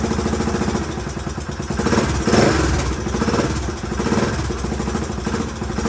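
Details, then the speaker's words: 1981 Honda XL500S single, first start from stone cold with makeshift fuel tank after oil change and air filter: even, steady idle thump with no knocking or misses; idling healthily, owner hears a possible leak, carb not leaking. "all right well she runs good i haven't had a chance to take her out on the road yet obviously but i at least know it idles and starts up prett"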